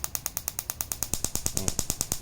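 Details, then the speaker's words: Daihatsu Mira ignition coil, spark-tested on a gap tester set just over 1 cm for a car stumbling at idle with A/C on: crisp, even snaps about nine per second, a strong, healthy spark. "อ่ะถ้าคอยแรงๆมันจะโดดดีมากเลยนะครับจะโดดดีนะครับโดดกระดุ้งเลยโดดสะดุ้งสะดุ้งเฮือกเลย"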